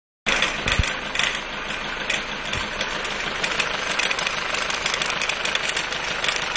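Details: Mercedes 190D 2.0 diesel idling with bright metallic chatter and irregular ticking over the diesel clatter; timing chain problem.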